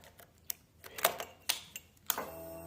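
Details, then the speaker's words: Royal Enfield Himalayan Euro 5 motorcycle at key-on, light clicks, relay snap then a steady high whir about a second; normal fuel pump priming, absence suggests a failed fuel pump relay under the seat. "that noise that noise so that's your fuel pump priming and if you are turning the bike on and that's not happening that's that's your fuel pump sense relay generally or it seems to be"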